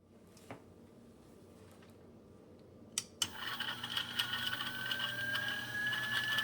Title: Timemore 078 Rattling Sound